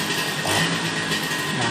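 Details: Vespa two-stroke after carburettor adjustment, snapped open: busy buzz stays even and clean without stumbling or bogging; carb set right and engine responds properly.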